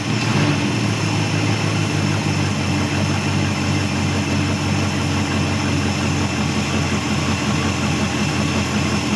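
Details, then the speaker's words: 1974 Dodge Monaco V8 barn find parked since 1990, after freeing the throttle plate and capping the vacuum lines: loud uneven fast idle with raspy hiss; running rough, owner suspects major vacuum leaks plus exhaust leaking. "yeah I think we had a whole lot of vacuum leaking I know we got a whole lot of exhaust [Applause] [Music] leaking"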